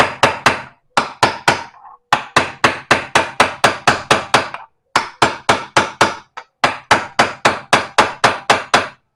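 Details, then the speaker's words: Vario rear wheel wobble repair: sharp hammer blows in quick runs, about four a second, each landing hard and solid as the bearing bottoms out; the sound tells it is fully seated, don't force further. "Kalau didengarkan dari suaranya itu dia ini udah mentok ya, posisinya sudah pas ataupun press ya. Kalau misalkan kita masang laker itu harus bisa membedakan suara."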